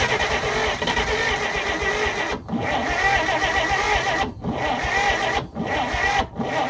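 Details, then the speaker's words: 1948 Pontiac Silver Streak straight-six, first start after sitting since around the early 1990s: runs ragged with four deep stumbles in about seven seconds, sputtering and barely running; needs constant throttle and won't restart on its own fuel once it dies. "all right so he run it runs we uh I started up a couple times afterwards just to see how long it would stay running and truthfully it is not long you pretty much have to be in the throttle the whole time"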